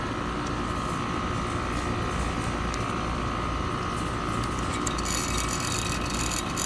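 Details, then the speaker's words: Trane outdoor AC unit running: fast, buzzy metallic chatter from the refrigerant check valve rattling. The chatter stops with Trane's check valve magnet kit fitted and returns when the magnet is pulled out; replacing the check valve also fixes it. "this is the check valve magnet kit that you could order at Train, and it helps stop that noise from rattling from inside this check valve right here."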